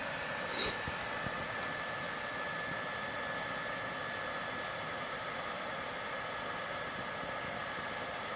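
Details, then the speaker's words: PS4 Pro fan heard loading a game right after start-up, before cleaning. A constant rushing roar of air with a faint high whine that gets even louder, a fan straining through a dust-clogged heatsink. "alright here goes you can hear how loud it gets it gets even louder"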